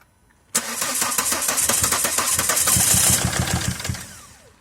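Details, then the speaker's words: 2007 Volvo XC90 D5 diesel, cranks but wouldn't start; HP pump replaced, fuel pressure checked, No.5 injector failed leak-off test, its top O-ring replaced. Now starter cranks with a few firing pulses for about three seconds, then dies; fires but won't keep running. "all right all right all i've got a good news that um engine is firing i wouldn't continue but it's firing"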